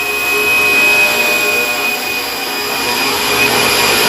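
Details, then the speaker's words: Cheap eBay ultrasonic cleaner with cold solution, cleaning Briggs & Stratton 6.75 and snowblower carburetors: loud, even high hiss and buzz with a fixed thin tone, steady throughout. It is working normally. "And then when I turn this on, you hear it vibrating, and probably can't see in the, well, you might. You start seeing how it starts stirring things up."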